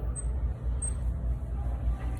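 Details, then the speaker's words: Store fan after the squeaking unit was pulled out and power switched back on, temporary fix until a new fan arrives: low even hum with no squeak or chirp on top; fan running normally. "There you go. Temporary squeaking gone until we can get a new fan."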